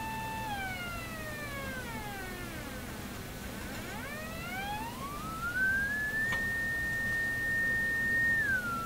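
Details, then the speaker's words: Electrohome Kalmar console stereo speaker crossover, tweeter output, tested before its non-polarized capacitors are replaced, fed a swept tone from a signal generator through a Heathkit mono amp: clear near 2 kHz, then a terrible rough buzz as frequency drops; cause not confirmed. "here we go oh just sounds like a terrible Buzz very interesting"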